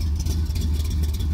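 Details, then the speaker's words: 1973 Plymouth Satellite Sebring Plus stroker big-block V8 warming up after start: deep even low rumble with steady beat, no knocks or misses; normal smooth idle. "well what do you got to say about it Dad hang on mom doesn't want to be on camera sounds like run pretty good"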